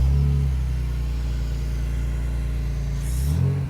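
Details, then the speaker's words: 2001 BMW Z3 Coupe, 87,000 miles, first start after engine parts replaced: catches right away and settles into a steady, even low rumble with a little burble, no knocks or ticks; normal idle. "started right up it's running good sounds good D has a little burble to it"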